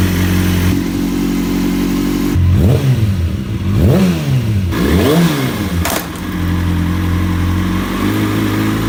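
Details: 2005 Kawasaki ZX-6R inline-four after repair of a dead cylinder, not fully warmed up: steady idle, then several clean throttle blips rising and falling smoothly on all four cylinders, sounding healthy.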